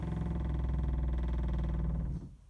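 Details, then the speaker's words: 2020 SportTrek Touring 343VIK travel trailer fresh-water pump switched on at control panel: low buzzing hum with quick even pulse, cutting off after two seconds once system pressurizes; normal pump operation. "So you turn that switch on and you can hear the water pump come on and pressurize the system."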